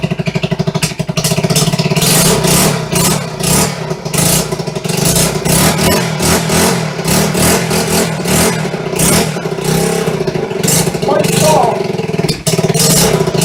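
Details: Restored 1974 Honda XR75 single-cylinder in garage, first start after two years of restoration, choke off, fresh non-ethanol fuel, clutch needing adjustment: crisp revs picking up and dropping back cleanly with even beat; normal running.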